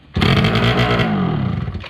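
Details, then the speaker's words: 2005 Polaris Predator 90 two-stroke quad after long sitting with a dead battery, oil injection line reconnected: it catches with a raspy burst, runs roughly about a second, then dies; an exhaust leak near the engine is suspected. "Let's see, that's all it'll do."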